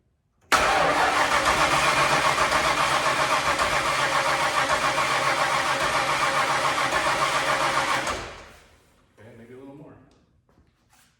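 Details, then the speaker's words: Ford Bronco revived after sitting over 11 years, on premix poured into carburetor: harsh churning run about seven seconds then dies; cranks but won't stay running, owner suspects it's just out of gas. "maybe we're not getting smart hmm gas more gas in there and gotta give it a try ready you need come on all right now I guess nothing that might just be out of gas"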